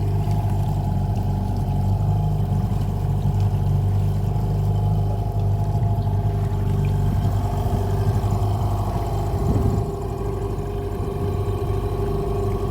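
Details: Hangkai 18 outboard during break-in, after a 10-minute idle, running in gear just above quarter throttle: smooth, even drone with no knocks, misses or rattles; healthy normal running.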